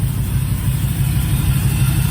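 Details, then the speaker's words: LS-swapped 1959 Chevy Apache V8, final first start with all engine management installed, after an initial backfire blamed on cheap fuel injectors: deep, even, quiet idle with steady low rumble, no misses or pops. "Nice and quiet."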